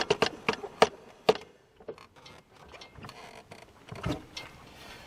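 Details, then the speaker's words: 2003 Polaris Sportsman ATV, rear axle: sharp, uneven clicks and pops from a bad rear CV joint; fixed by replacing the rear CV axles. "right. So, that's what you might hear if you have a uh bad CV joint."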